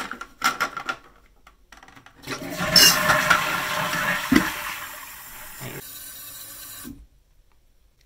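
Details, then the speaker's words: Suspended WC cistern refilling after fitting a 3/8" water hammer arrestor at the fill valve: flush rushes, then a steady refill hiss tapering off with no bang at shutoff; water hammer is gone. "et plus de coups de bélier de l'autre côté c'est nickel"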